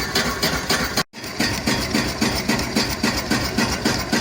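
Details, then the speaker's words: Homemade wood-fired Stirling engine driving a car alternator under load: sharp metallic bang on every stroke, about 220 a minute, like metal hitting metal; owner suspects something in the ram pistons. "the other slight annoyance is this this rattle here every stroke there is a big bang like a piece of metal is hitting another piece of metal um it's not very nice really"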